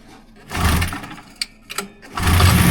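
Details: Rebuilt 1999 Polaris XCR800 two-stroke snowmobile first fire-up, primed by spray bottle, carbs synched, TPS set; short rough burst, stumbles and dies, fires briefly again, running only on primer, fuel-starved.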